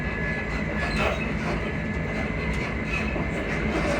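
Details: Class 334 train 334031 running between Haymarket, Edinburgh Park and Uphall: rolling rail rumble with short high squeals coming and going from the suspension; cause not pinned down.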